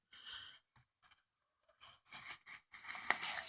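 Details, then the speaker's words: Renault Megane 2 wiper blade dragged over glass tilted off 90 degrees: short scratchy squeaking strokes and chatter from the leaning blade edge; blade must sit square to the glass. "если я его немножко наклоню Вот сторону Да мы слышим да звук [музыка] он репит иногда пищит"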